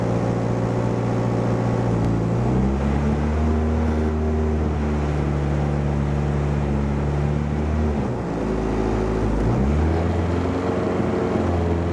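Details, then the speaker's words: Car after TPS replacement, intake air temperature sensor unplugged, engine still a bit cold: idle rises and falls in slow surges every few seconds; owner suspects coldness, check engine light on. "Maybe it's going up and down like that because it's still a bit cold."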